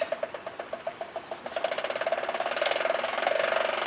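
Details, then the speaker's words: Ford Bronco rear axle with Detroit Locker, wheel off the ground, transmission in neutral, unlocked: evenly spaced light ratcheting clicks quickening as the wheel spins while driveshaft and other wheel stay still; normal locking differential ratcheting. "see that tree spinning hear the ratcheting sound the drive shaft's not turning the other wheel's not turning it's just freewheeling right now okay it's unlocked"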